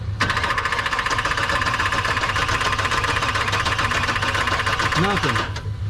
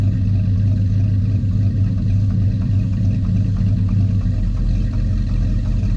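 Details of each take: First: 1984 Chevy truck with HEI distributor, dead for 2 years: starter cranks steadily in a fast even chug but never catches; spark tester shows no spark at the plugs despite power to the HEI. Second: 1984 Chevy truck, revived after two years dead, running without the air cleaner: an even, deep rumble with a brief rev blip and no knocks or misses; it runs clean and healthy.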